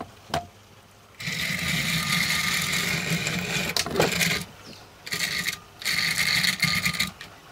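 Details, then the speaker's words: Trix Collett 5600 class 0-6-2 2-rail model locomotive, bought as a non-runner, tested on track before service: small motor whirs in uneven bursts, cutting in and out, running very roughly and stopping and starting; may need a good service. "running very roughly but at least a and like all of these loes try Swit off and running at the same time"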